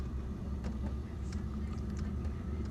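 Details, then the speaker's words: Diesel heater newly installed in a house, with intake and exhaust run through a window, at ignition: a steady deep roar like a jet engine, with no knocks or surges, holding even; the heater has lit and is burning normally. "When it lights, it sounds like a jet engine taking off."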